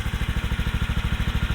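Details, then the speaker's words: Club Car with Predator 459 engine swap and rebuilt exhaust using Honda Grom muffler: crisp, even single-cylinder pulses about eleven per second, healthy idle, slight vibration and rattling from loose parts. "Oh yeah. It sounds sick right now. Sounds like a four-wheeler. Got some vibrations. You might hear a little rattling. That's just some loose stuff."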